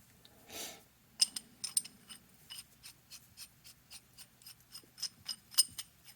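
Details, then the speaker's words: Monarch 10EE lathe leadscrew: light metallic clicks, about three a second, as the old worn nut is rocked back and forth, showing lots of slop; another nut showed none, and slop was equal along the screw, so the screw is fine. "you can almost hear it rattling in there that's quite a bit of slop"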